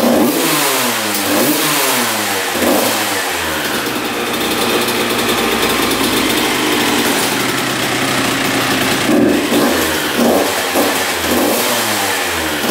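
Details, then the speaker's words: 1993 Honda CR125 two-stroke after shift fork repair, first start and idle: crisp revs climbing and dropping cleanly with pitch following throttle, no misses; healthy, carburetor not yet cleaned. "all right let's try to get this thing to idle idle all right she's idling sounds pretty good"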